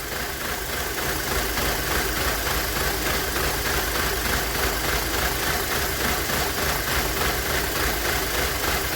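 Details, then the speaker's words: Rough idle stumbling with rhythmic shake from a misfire; spraying brake cleaner around the PCV valve smooths the idle until it dries, confirming a vacuum leak at the PCV valve, which is to be replaced. "we're gonna go ahead and spray around the pcv valves hear that idle gets better stop shaking as soon as that brake cleaner dries"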